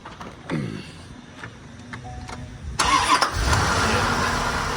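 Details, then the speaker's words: 1992 Corvette LT1 V8, 6-speed, 751 miles, stored since new, fuel pump and injectors replaced after sitting unrunning: a few quiet clicks, short crank, clean catch into steady even idle with no misses or knocks; healthy cold start. "And it runs great. I can start it up. Make sure the battery's still up on this thing."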